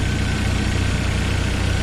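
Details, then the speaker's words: 1997 Jeep Wrangler TJ 2.5L four-cylinder after full engine rebuild: steady, smooth, quiet, tight-sounding low idle with faint quick injector clicking on top; no bad noises, healthy. "so everything is as i wanted it to be it runs good and quiet no bad noises or anything it's just smooth"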